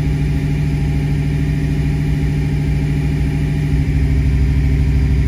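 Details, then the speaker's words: 1986-93 Fox-body Mustang V8, Innova 3145 cylinder balance test: steady fast idle near 1500 rpm dips slightly in pitch as one injector is cut, running on seven cylinders, then recovers; cylinders pulling evenly. "there the tone changed a little bit so that's what's running for the test it's turning off one injector at a time so you're essentially running on seven cylinders"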